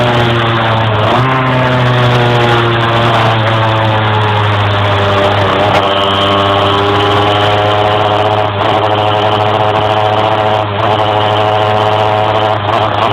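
Engine note climbs slowly with load and sags briefly a few times; it struggles to gain revs, cause not clear.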